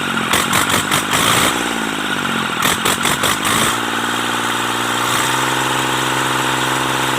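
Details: Mitsubishi K3E three-cylinder diesel in an MT18 tractor, after replacing three pistons and rings to cure hard starting: after a few blips it settles into a smooth, even, steady idle with no knocking; normal idle.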